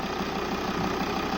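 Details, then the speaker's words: 2008 Volvo S80 2.4 D5 (120 kW) diesel idling after an A/C repair for fault P0531 (A/C pressure sensor circuit) and a recharge with 800 g refrigerant plus oil: the compressor clutch clicks in, high pressure builds and the pipe goes cold at about 15 °C outside. Normal compressor engagement. "and now we can even hear the click click of a compressor so that means the compressor is switching on"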